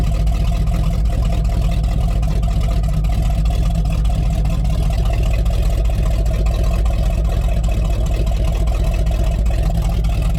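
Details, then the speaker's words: Rotted Chevy Squarebody truck with a 454 big-block V8 at a constant idle on jumper cables with the fuel pump switch on: deep, steady, even rumble with no knocks or misses. It sounds good, though a hydraulic fluid drip is increasing. "with how much that drips picking up I don't really want to keep running it she sounds good"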